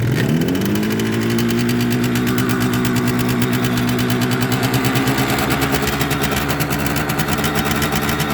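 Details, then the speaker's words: Restored 1976 Suzuki GT125 two-stroke, kick-started cold on choke with fuel on; it revs quite high at first. It settles into a fast, even burbling idle with no knocks, a healthy cold idle on choke. "So there we go. I'll let you hear it. It's cold, so it will rev quite high at the beginning."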